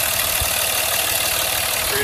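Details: 2004 Dodge Ram 2500 SLT 4x4, 5.9L diesel, 6-speed manual in neutral, one owner, no check engine lights, clutch replaced 10,000 miles ago; even diesel clatter at steady idle, no knocks or misses: normal idle.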